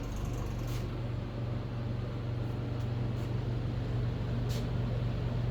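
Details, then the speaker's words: Mr. Heater Big Maxx 80,000 BTU garage heater converted to propane, heard up close: steady low fan drone with even burner rush, no ticks, rattles or surging; not horribly loud, about like a home furnace; running normally. "we walk right up so you can hear it that's the fan right there so as you can see it's not like horribly loud"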